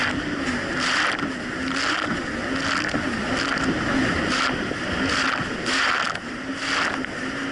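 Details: 2007 Yamaha VX Cruiser jet ski on choppy Lake Michigan, after new spark plugs replaced mis-gapped old plugs: even engine drone with rhythmic hull slaps, no rising or falling surges; running clean.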